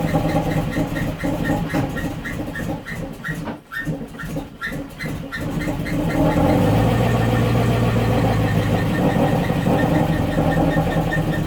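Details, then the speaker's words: 1972 Range Rover A-suffix V8 during restoration, flooded and hard to start, spark plug just refitted: several seconds of choppy rhythmic cranking, then catches and settles into a steady run. "so that's why these things can be a pain in the ass to start when they're flooded but at least I know now that he's flooded"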